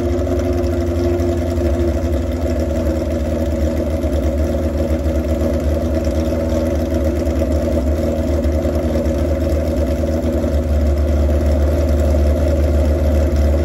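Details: Old chopper motorcycle at idle: deep, loping, uneven beat, about four pulses a second; propane run around the intake rubbers and carburetor-to-cylinder joints produced no change, so a suspected vacuum leak was not confirmed; rough idle, cause not pinned down.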